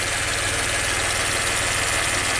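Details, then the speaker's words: 2016 Maserati Ghibli Q4 twin-turbo V6, 60k miles, timing codes, idling: uneven lumpy shaking beat under loud hiss, raw gas smell, feels like 3 cylinders; one bank dead, misfire. "Smells like raw gas. Shaking like crazy. Feels like it's running on 3 cylinders."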